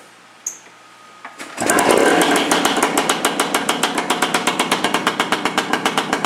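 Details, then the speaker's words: 1974 Suzuki TC-185 two-stroke enduro, all original, bought non-running with a stuck piston, kick-started on a dead battery. Sharp, loud cracking pops at about four per second once it catches. Loud because the rusted, plugged factory spark arrestor was removed. Carb not yet cleaned. "As you can hear, it's kind of loud. Well, that was one of the other problems I had with it, is the spark arrestor that comes factory in these things."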